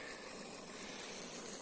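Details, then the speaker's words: Micro hydro water intake with an old DN50 drilled-hole filter, 40 cm long, too small for the flow. Steady hiss and rushing gurgle as air is sucked in at the intake; the filter clogs because its surface area is too small; to be replaced by a 2 m slotted DN110 pipe. "You can hear it sucking and it's already clogging up because the surface area is way too small for this amount of water."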